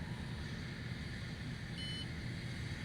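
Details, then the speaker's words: Karris Isata 3 24FW motorhome: after All Retract, the leveling jacks finish retracting and beep over a steady engine drone, one short high beep late in the clip; next step is Auto Level. Leveling jacks retract-complete beep. "I can hear them this is beep so they're done so quit beeping at me now I can hit Auto level"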